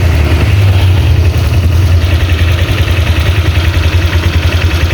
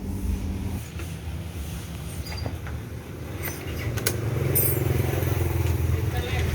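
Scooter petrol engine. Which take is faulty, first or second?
second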